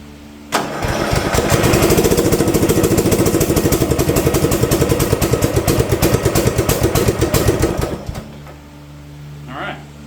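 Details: Old Simplicity front-deck rear-steer riding mower, 17 hp Briggs & Stratton, sat for years, low oil, weak battery on charger: slow uneven cranking, about three turns a second for seven seconds, no firing. Cranks but won't start; likely carb cleaning and fuel filter, unconfirmed.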